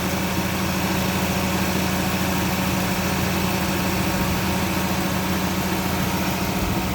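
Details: Petrol car engine idling steadily with an even hum and no misses, stumbles or knocking, after fixing a rough idle and an OCV oil leak and changing the oil and filter.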